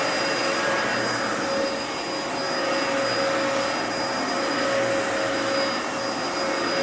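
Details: 2004 Dyson DC14 Animal vacuum, fixed up and on its first run since a new HEPA filter: a steady high whistle at constant pitch over the airflow roar while it keeps running. The owner suspects the bearings, saying they whine a bit after a while.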